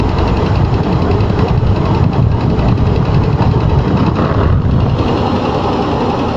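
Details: Range Rover II cold engine at idle, deep busy rumble with a dull repeating knock underneath; cold-start engine knock, source not pinned down.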